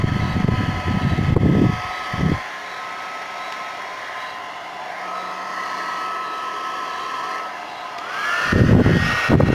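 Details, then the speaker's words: Suzuka hair dryer after repair of power switch stuck with instant-glue-like adhesive: steady airy rush with even fan hum, cutting out and returning smoothly; running normally. "Bueno gente, ahí quedó el problema resuelto, problema solucionado,"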